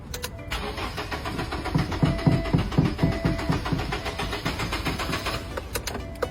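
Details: Very old used car being started: steady starter churn about four beats a second for five seconds, never catching; cranks freely but won't fire; crank no-start from clogged EGR valve.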